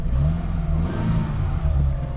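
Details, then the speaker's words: Fiat Panda restomod, with exhaust manifold, lambda sensor and heat shield just refitted, after about six months unused: short clean throttle blips, deep even exhaust note, no rasp or ticking; noise now more civilized, healthy. "Et là on est revenu sur un bruit un peu plus civilisé. On sent les chevaux quand même."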